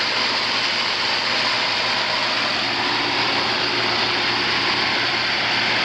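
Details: Home inspection of a swimming pool with a main and a second pump, both running. A loud, steady rush of flowing water with an even hum underneath, no surges or rattles. The pumps are circulating normally; one timer does not work.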